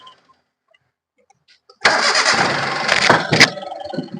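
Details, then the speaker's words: Hyundai Eon with a no-start complaint, restarted after fix: starter catches quickly, engine fires and settles to steady idle; clean start, air filter clamp noted loose. "നമ്മളിപ്പോ of ചെയ്ത് start ചെയ്തപ്പോൾ വണ്ടി correct ആയിട്ട് തന്നെ start ആണ്"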